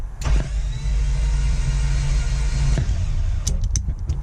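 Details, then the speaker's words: Toyota FJ62 Land Cruiser, about 296,000 miles, sat for a decade, compression test on the next cylinder after cylinder 4 read 0: starter spins at an even, fast whir with no labored compression pulses; no compression in that cylinder. "That is no compression. Nothing."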